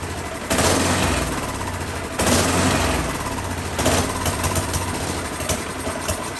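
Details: Husqvarna 10530 SBE snow thrower engine, sat about 4 years, carb still had fuel, run with choke on: speed rises and sags about every 1.5 seconds, hunting/surging; owner guesses clogged carburetor idle circuit, ran better at full RPM.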